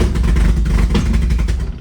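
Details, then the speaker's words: NA Miata with BP4W engine swap, first start after draining old fuel and adding new; engine catches, runs rough half a second, revs fade and it stalls; cause not confirmed. "Now it's actually wanting to start. I turn it over and it runs for half a second and then it kills itself."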